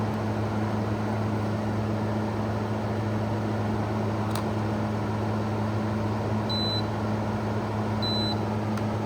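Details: 2016 Arctic King 5000 BTU window air conditioner, model WWK05CR61N, compressor started on lowest temperature setting with fan at medium then low; steady low mains hum with even airy rush and two remote beeps; running normally, blowing cold.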